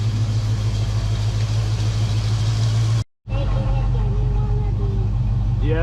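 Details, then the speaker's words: Foxbody Mustang 5.0 after cleaning the dirty EGR valve that caused rough idle and surging, idle then lowered about 100 rpm to between 900 and 1000: low, even rumble holding steady without hunting or surging. Normal idle. "so I adjusted idle a little bit it's right between 900 and thousand and uh the idle that is perfect now perfect"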